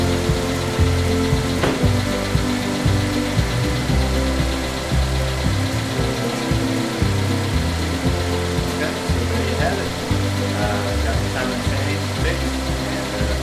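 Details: GMC Terrain 2.4L Ecotec at first start-up after a timing chain replacement and oil priming: a steady, low, even idle under background music with no rattle or chain slap from the front, so the new chain runs quiet.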